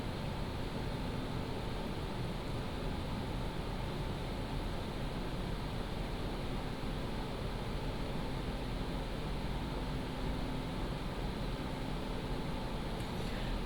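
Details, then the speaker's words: PCcooler DT360 ARGB Display liquid AIO under Cinebench load, medium fan profile, radiator fans ramping up RPM: a steady, even airy whoosh with a low hum underneath and no ticking, rattle or whine; normal. "In fact you can see my pump and my radiator fan which says R fan. That is the actual radiator fans that is ramping up the RPM."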